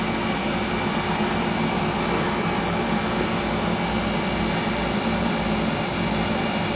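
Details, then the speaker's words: Carlin oil burner blowing black soot: constant roar with heavy unsteady low rumble, flame sounding starved and choking for air despite full air; cause suspected, not confirmed; burner rumbling and choking. "before it was rumbling like hell remember it would Rumble it would run a little bit then it would Rumble so it was choking for air"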